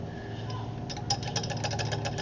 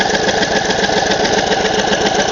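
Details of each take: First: 2008 Craftsman YS4500 lawn tractor non-starter, top end opened (cover bolts found finger-tight, previously worked on): fast, even ticking clatter over the cranking churn from the valvetrain; valve clearance far too loose, gaps wide enough for a screwdriver, later adjusted. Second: 2008 Craftsman YS4500 lawn tractor, garage-kept, non-starter being revived: fast, steady chugging at about four beats a second with an even rhythm and no catches, engine cranking over normally after solenoid gap adjustment, just before spark confirmed.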